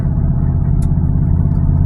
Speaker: Granddaddy sound really crazy, don't he? And that's all due to the exhaust leak, y'all.